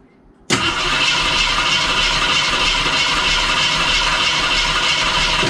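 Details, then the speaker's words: 1973 AMC Javelin, neglected and never yet fired, points cleaned and gas poured down the carb; starter churns about four turns a second for five seconds with no pop or catch. Crank no start; crew suspects no spark. "I'm thinking we should probably see if we got spark. Yeah. Because it doesn't sound like it. It should have popped because I put gas down the carb and filled up the bowl."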